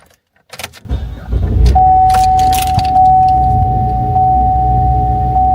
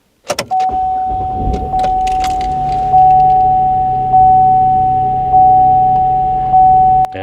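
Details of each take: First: GMC Acadia start: engine fires and settles into an uneven, shaky low rumble under a steady chime, choking rough start; suspected cause clogged oily air intake, possibly purge valve solenoid, unconfirmed. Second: GMC Acadia that choked on startup, after cleaning the oil-clogged air intake and oil lid: engine catches and settles into a steady idle with an even hum and faint constant whine; starts clean and runs smooth.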